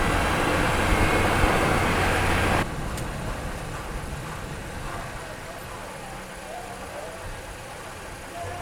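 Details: Final road test with a microphone installed, after repairing wheel noise when braking: steady road and tyre rumble that fades as the car slows, no squeal or scrape; brakes now quiet.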